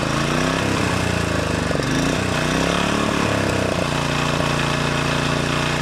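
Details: Honda GV150 single-cylinder engine test after rebuild, transmission not yet reassembled. Revs up and settles without stumbling, with an even beat, fairly round on acceleration. Normal running.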